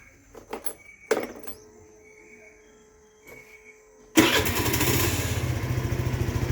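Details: Scooter after its carbon-fouled spark plug was removed, cleaned in petrol, refitted with washer and tightened: a few handling clicks, then the engine catches at once and settles to a steady, even idle with no misfire; starts fine.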